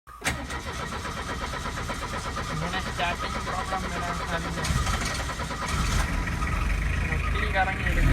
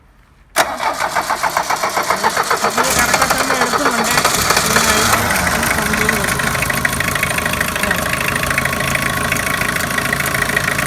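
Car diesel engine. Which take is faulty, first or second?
first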